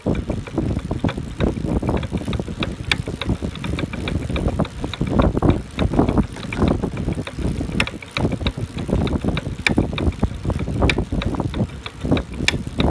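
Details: Brand-new Buzz Charter F eBike, first time pedaled: loud, frequent, irregular metallic knocking from the rear hub motor while pedaling, like metal parts colliding inside; cause unknown.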